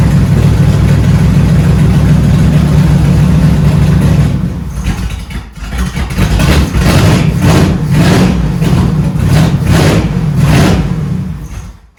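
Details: 1971 Dodge Charger Super Bee 383 Magnum V8 after valley pan change for a suspected intake leak: lumpy uneven idle with revs sagging and surging; owner suspects ignition timing is off again.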